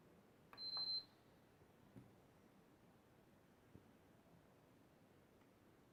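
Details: PS4 model CUH-1216A beeps once short and shuts off, no light, fans stop within a second; eject button gives three beeps; owner suspects the power supply.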